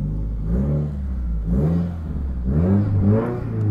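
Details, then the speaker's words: Subaru WRX with no boost, driving in first gear: low engine rumble with a drill-like whirring tone that climbs and falls with revs; failed turbocharger. "just gonna quickly give you guys an idea of what the bad whirring sound sounds like"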